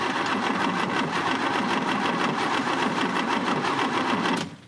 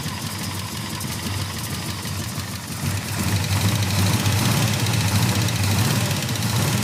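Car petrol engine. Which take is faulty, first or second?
first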